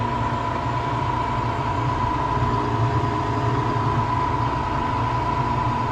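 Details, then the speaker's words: Harvest Right freeze dryer in its initial cool-down phase drawing about 5 amps, thought to be about 15 minutes before food goes in; even, unbroken mid-pitched drone with no knocks or rattles, compressor pulling down normally. "The freeze dryer is taking about 5 amps during the initial cool down phase. It'll take about 15 minutes, I think, for the freeze dryer to reach the time when I'm supposed to put the food in."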